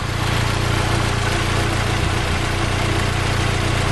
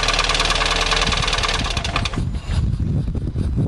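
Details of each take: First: 2010 Fiat Palio 1.4 8V Fire after coolant system flush: smooth, even low idle hum, no ticking or misses; engine idling healthy with no leaks. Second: 2010/2011 Fiat Palio 1.4 8V Fire: quick light ticking over the idle at roughly three per second, then shutdown; noise appears to come from the cylinder head, valve cover to be removed for inspection, cause unconfirmed.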